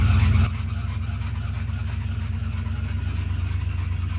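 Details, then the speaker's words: 1993 Ford Bronco just restarted after fuel pump replacement: steady idle with a loud, low dragging drone on the belt, slipping over a seized bottom accessory pulley, believed to be the small pump. "Well, that belt doesn't sound good at all. [Music] The [ __ ] is that? All right. Well, bad news. I came in. I was looking at this belt here and down here, that bottom pulley, I believe, is the small pump. It's froze up. That's why that belt was making such a loud noise."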